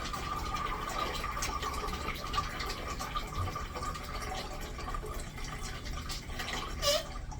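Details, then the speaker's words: Newly installed urinal flushometer valve, supply valve fully opened: a thin, steady high squeal holds over the rushing water through the flush. Owner suspects the handle but hasn't confirmed it and plans disassembly. "Just gotta look in there and see why the fuck this thing is squealing now."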